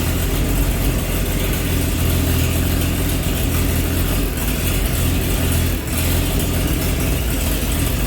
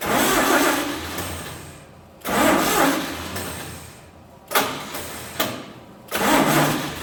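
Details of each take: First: 1948 Chevy truck engine not run for 30 years, diesel in the oil pan, new coil fitted: deep, loud, steady, even idle with no knocks or stumbles, running well; a little steam comes from the thermostat housing. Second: 1948 Chevy truck engine, unrun for 30 years, diesel fuel in oil pan, first start: repeated cranking bursts briefly catch and die; no spark because cheap new ignition points burned from 12 volts.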